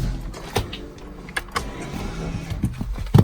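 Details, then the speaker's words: 2011 VW Passat rear electronic parking brake commanded to release via scan tool, ignition on: short, low electric motor hum from the rear, smooth and even with no grinding; normal electronic parking brake release. "ignition on all the way conditional we'll release the parking brake"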